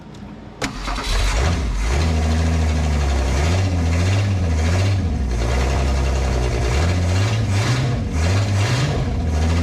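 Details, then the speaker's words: 1968 Ford Falcon after exhaust blockage removed, brief run without radiator hose: catches and blips up, drops back cleanly with deep, free-breathing exhaust note; now rips, heats up slower, healthy. "What a difference. Now she rips."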